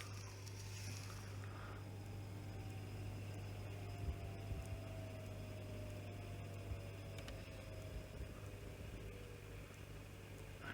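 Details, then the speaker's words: 1966 Grundig Stenorette L dictation machine: steady low hum under a faint motor tone that slowly sags in pitch as the motor labours, after it had stopped and struggled to wind; suspected to need a full service, cause not confirmed. "I don't know whether you can hear that but the motor is laboring so uh my guess is I mean this needs a full service as well"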